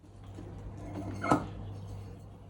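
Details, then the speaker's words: Used Linn Sondek LP12 turntable: a single short, dry squeak as the subplatter is lifted off the main bearing, meaning little or no oil in the bearing housing; a healthy bearing should sound different. "and that tells me that there's no or precious little oil in the bearing house housing"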